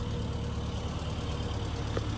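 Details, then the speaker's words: 1997 Rover Mini Cooper 1.3i petrol engine idling, heard from the rear: ticks over smoothly and evenly at a steady low speed with no knocks or hunting; a healthy idle. "As you can see, headlights, just the headlights on there. Then we'll come around here to the back. And as you can see, you can hear idling perfectly."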